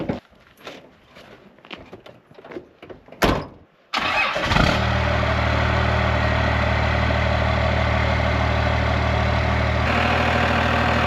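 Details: 12-valve 6BT Cummins diesel swapped into a squarebody Chevy Suburban with NV4500 manual; after a few seconds of handling noise it cranks, catches and settles into a steady, even idle clatter; runs healthy.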